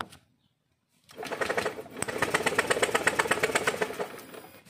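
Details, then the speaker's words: Honda Scoopy FI after long storage: steady, even starter cranking for about four seconds with no firing. No spark, the fuel pump is hesitant at key-on, and sensors and the side stand read normal. Rats are suspected of chewing the ignition wiring. "disini jelas pengabdiannya tidak ada dan pada saat kita kunci kontak on pada fulpam dia masih bingung"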